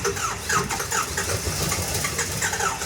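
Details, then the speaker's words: Engine just being started, cranking unevenly with ragged firing bursts that catch then fade, won't pick up and run on its own; owners suspect low compression or an injector, not confirmed. "I think it's going to be the injector. It's low compression. Yeah. I think it's low compression, too."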